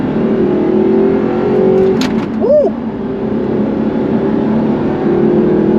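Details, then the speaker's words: 2007 Audi R8 4.2L V8 gated manual with a rebuilt engine, on its first road test after a leak, warm and pulling hard in second gear at higher revs; smooth even rise, no knocks or rattles; healthy V8 under acceleration. "woo w that sounds epic even stuck W that sounds insane like sounds well never comes across on camera but it sounds so much better than today's engines"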